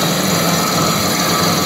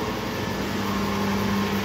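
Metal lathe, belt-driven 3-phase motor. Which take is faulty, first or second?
first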